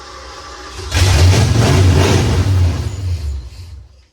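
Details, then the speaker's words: 1986 Ford F150 that sat for years, with a new starter solenoid and no fault codes: it catches, runs rough at about three beats a second for three seconds, then dies. Fuel not staying is suspected. "it's just not um either it seems like it's fuel it's the it's not fuel's not staying"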